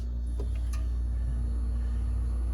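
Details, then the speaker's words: Whirlpool French-door fridge evaporator fan with the door switch bypassed: a smooth, steady low hum with no scraping or ticking. The fan spins freely and runs normally. "Now it's quiet. Perfect. You can actually feel it pushing the cold air throughout the freezer here."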